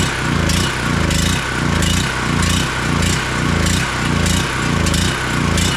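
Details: ETQ 4000 watt portable generator engine after fitting a cheap replacement carburetor with new gasket and adjusting its screw: loud steady high-speed drone with a gentle surge about every 0.6 s, making power at full RPM; normal running.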